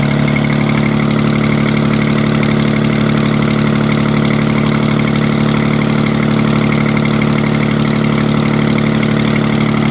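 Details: Detroit 6V92 two-stroke diesel, first start after overhaul: a loud, even idle with a steady low drone and smooth regular pulsing, no knocks or misses. Normal, healthy idle.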